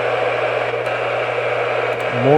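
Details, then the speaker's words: Realistic Weatheradio Alert III Model 12-140 in weather mode: flat hiss over a low steady hum, no voice or tone. Dead air at any switch position. It never worked and gets nothing on the main floor or in the basement. "and just like dead air now I'll move the switch and I could find it any position it's just dead air"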